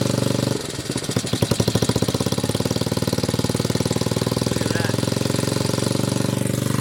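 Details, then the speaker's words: 1981 Honda XR80 four-stroke single after unsticking a stuck float: catches on first kick with no choke into a quick, even thump, idle maybe slightly high, no smoke, no stumble; healthy idle. "No choke, no joke. Idle might be a little bit high, but no smoke. The spray paint can exhaust is looking glorious. Sounds fantastic."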